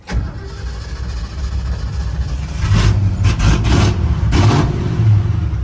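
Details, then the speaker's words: 1970 Ford pickup, 56 years old, converted from 3-on-the-tree to 3-on-the-floor manual, just bought: cranks and fires quickly, settles to a steady deep idle, then revs up cleanly and drops back evenly; healthy engine. "She runs good."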